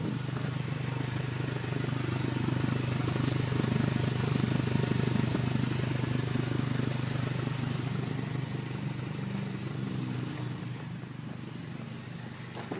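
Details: 2003 Honda Civic Si at idle: a steady low hum with a regular puffing tick about three times a second. Owner suspects an exhaust leak; not confirmed.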